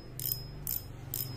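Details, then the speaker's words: Okuma ITX 1000 reel after fitting a homemade drag clicker spring to make it louder: three short, crisp rattling bursts about half a second apart over a faint hum; louder than before, drag clicker works normally. "kedengarannya memang sudah lebih kencang suaranya nih lumayan kan"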